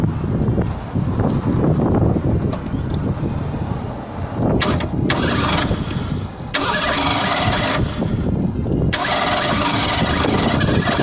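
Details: 1987 Ford Bronco II 2.9 petrol engine after distributor work: long, uneven cranking with stretches where it tries to catch but won't fire cleanly; flooded, fuel-soaked spark plugs make it hard to start.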